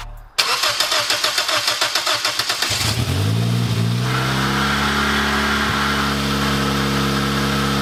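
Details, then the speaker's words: 2007 Toyota Corolla LE, first start after a turbo kit install. It cranks a couple of seconds, catches, then settles to a raspy, loud, slightly high idle. A large exhaust leak makes it sound as if it has no cat, and exhaust can be smelled. "it's basically running catless right now with how bad that exhaust leak sounds and I can really smell it"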